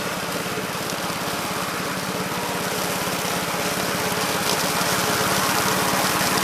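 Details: 1969 Gravely C8 walk-behind tractor after repair of no-high-range fault (drove only in low range, stop-and-go in high); morning start-up, quick even single-cylinder putter at steady pace, no misses or knocks; running normally.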